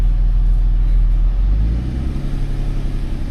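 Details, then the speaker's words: DSG car checked for a suspected timing chain rattle: a clean rev falling smoothly back to a steady low idle, with no rattle or tapping; the engine sounds good. "it didn't really sound like a rattle, to be honest. Sounds good."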